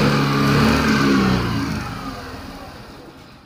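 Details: Suzuki Burgman scooter (fuel-injected, nearly new) revs, then sags and dies within two seconds of releasing the throttle; won't restart. Idle speed control (ISC) valve locks up from dirt entering the throttle body and no longer returns.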